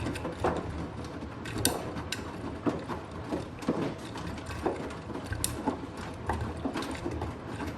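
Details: Blomberg Rapidjet front-loader running: a dull, regular knock about once a second over the steady drum rumble, loud especially on spin. The knocking has returned.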